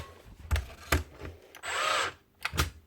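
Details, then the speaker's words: Makita DBN600 cordless nail gun from 2021, previously opened, before repair: clicks then a half-second motor whir that dies without firing; motor not retracting piston, gun won't start up or shoot. "that's all she'll do pull the battery out put it in again motor turns stops again so what's only starting up it's not doing anything"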